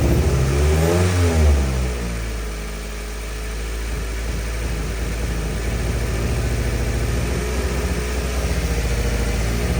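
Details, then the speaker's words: 2013 Subaru Impreza 2.0 non-turbo held at raised revs: an uneven, stumbling beat with irregular pulses and a slight shake. It is a misfire, heard as one cylinder misfiring. "caso este déjalo corendo pero ahí se puede ver como o se puede escuchar el motor acelerado y se escucha que no está parejo se ve como tiembla tiene un temblorcito Entonces ese es el problema que ellos vienen persiguiendo"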